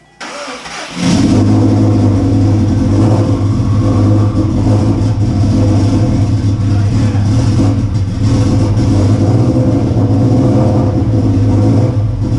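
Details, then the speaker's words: Subaru Forester with freshly built engine, first start after priming oil pressure, to be tuned for E85: cranks, catches after about a second, settles into strong, even, slightly lumpy idle with revving, running a little rich; starting healthily, no leaks. "He's running a little rich with all that fuel. Dude, it sounds like a drag truck."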